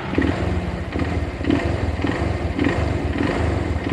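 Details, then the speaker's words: Verza single-cylinder motorcycle at idle: loose metallic clatter pulsing about twice a second, louder with the clutch lever released than pulled in; bottom-end or clutch rattle suspected, not confirmed. "Nah ini kopling saya tarik ada perbedaan suara kopling saya lepas lebih kenceng berarti nambah suaranya nah"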